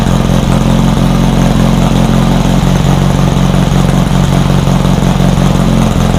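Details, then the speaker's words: Rebuilt VW 1600 flat-four in a Baja Bug, first start after a two-year teardown, after retarding over-advanced timing: loud, steady low idle with a lumpy but continuous beat, no knocks or squeals; ran pretty good. "It did fire up. It ran pretty good."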